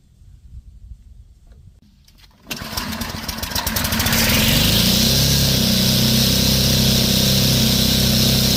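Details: Field trimmer that quit mid-pasture, run after replacing its disintegrated carburetor gasket with a homemade fiber-paper gasket: a couple of pulls, then it catches and climbs to a steady, even high buzz, running properly again.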